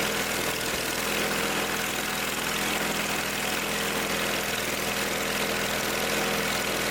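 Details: Old Simplicity tractor engine after repair, restarted after tightening a leaky fitting where Teflon tape was suspected to have gotten in: steady even idle, constant drone, no stumbling or surging; runs smoothly, fuel delivery fine.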